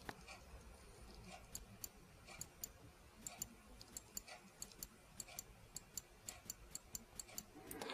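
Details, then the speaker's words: Mercedes C36 AMG non-ASR throttle body on a bench tester: crisp, sharp, positive clicks at uneven intervals from the idle switch, showing the plate inside is intact; the switch is working normally. "so you hear that click that means that the plate inside the switch that activates it is good because i've seen units that have that plate dislodged and it would not click"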